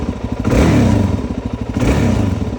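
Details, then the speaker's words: 2001 Suzuki DRZ400S dual-sport after carburetor cleaning and rebuild: snaps up from a steady thumping idle and returns cleanly, really responsive with no bogging. Normal throttle response. "Really responsive now. And there's no bogging."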